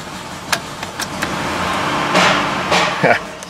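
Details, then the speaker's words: Auction Jeep Liberty 3.7 that cranks, starts occasionally, stalls and won't idle, throttle light flashing: catches briefly with irregular loud clanks and bangs over a ragged run before shutting off; serious mechanical engine noise, cause unknown. "so yeah we have a few issues it doesn't sound good whatever it is I'll say that much"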